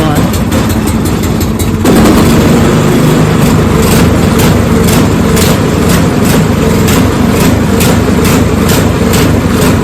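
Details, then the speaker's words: Snowblower small engine started on choke with the throttle on rabbit: it runs fast with a slight rhythmic surging, apparently because it runs lean; the tank was clean, and the carburetor is to be replaced. "The only thing that I can determine so far on this is that it just uh needs the carburetor replaced uh cuz it seems to be running lean. So, if you get this problem with the surging, check this out."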